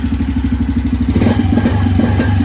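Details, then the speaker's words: 2017 Suzuki QuadSport Z90 90cc four-stroke ATV after carburetor cleaning and fuel drain: even, quick putter about five beats a second, steady with no misses; normal smooth idle after repair. "so it's still not idling or going up higher so press it again it's a ripper she's idling so much more smoother now"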